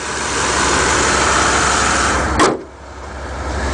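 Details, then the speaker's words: 1991 Chevy Caprice station wagon nine-seater, one owner, 91,000 miles: clean engine bay, motor idles smooth, even and quiet with no ticks or knocks, one brief handling clunk; exhaust slightly loud, likely needs a muffler. Normal idle. "it's nice and clean under the hood very little rust if any motor sounds nice and quiet"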